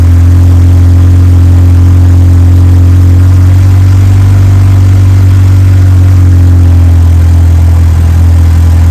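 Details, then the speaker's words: Mitsubishi Evo 6 with swapped Evo 8 4G63 engine, warmed up after replacing a lifter: four-cylinder idles smooth and even with steady low hum, no ticking or tapping; sounds healthy. "all right well it's not making any noises um warmed up sounds like a normal 4G"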